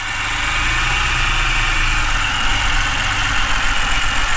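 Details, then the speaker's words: Flooded BMW E60 528xi first start after fitting spark plugs and coils from another BMW; uneven, lumpy idle with an irregular beat and a hissy top end; runs rough, oil burning off, cylinder 3 compression low. "she started she sounds rough but she started the oil is burning"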